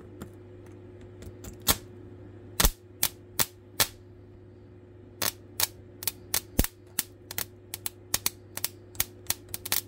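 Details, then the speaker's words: Transformer powering an old Nvidia graphics chip from a broken motherboard: steady mains hum broken by sharp irregular cracks and pops; screws touched together causing a dead short arcing, screw turned red hot. "oh now it's popped oops I just touched the um actual screws on to each [Music] other oh this one popped hard oh it popped"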